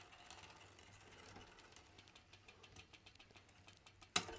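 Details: Mountain bike rear derailleur being set up: quick, faint, steady clicking from the spinning drivetrain, then one sharp clack, while the stop screw limiting travel to the largest cassette gear is adjusted; the chain clicks from a misadjusted limit screw.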